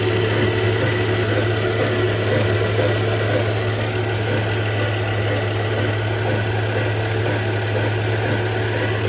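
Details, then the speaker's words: 2002 Volvo V70 being rebuilt after a crash, timing belt reportedly replaced about 20,000 miles ago, possibly aftermarket idler: petrol engine idling with low hum and faint uneven rattle, source of the noise not yet identified. "Let's start it up. See if we can tell where the sound's coming from."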